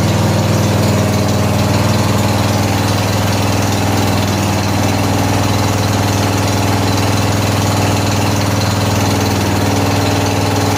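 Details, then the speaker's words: 14 HP Briggs & Stratton engine in a Murray riding mower (old carb flooded, gas in the oil): steady, even single-cylinder thump at idle, no misses or surging, one small backfire likely from fuel in the exhaust; normal. "good sounds good that little backfire was [Music] you know it could have some gas in the exhaust you know this thing was flooding out because of carb so anyway probably that's what it was"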